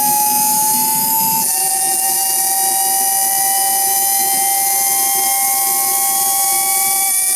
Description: This electric motor sounds terrible because its bearings are worn out.